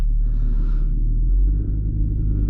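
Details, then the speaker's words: 2017 Audi SQ5 with AWE non-resonated downpipes and Touring catback exhaust, in-car GoPro while driving cold: deep heavy rumble with a buzzy low drone that fades once warmed up; cold-start exhaust vibration. "again you kind of hear that vibration once it warms up tends to go away and I only notice it primarily before the vehicle gets warmed up"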